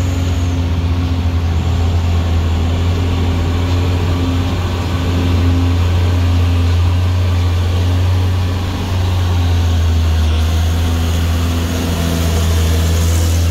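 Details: Truck on the Sitinjau Lauik road: heavy diesel drones low with a steady rhythmic throb like rotor chop; source unclear, cause not confirmed.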